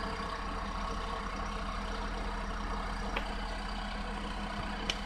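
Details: Nissan Clipper U71V engine, abnormal-noise repair: steady, even idle with a low smooth rumble and no knocks or ticks; sounds healthy.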